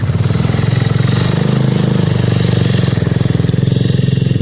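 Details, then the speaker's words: Yamaha Zuma with GY6 engine swap and new exhaust, first start of the day: quick even putter at a slightly raised cold idle, clean with no knocks or misses; healthy. "now it's the first start of the day so yeah she's idle up a little high but this bike sounds pretty good man"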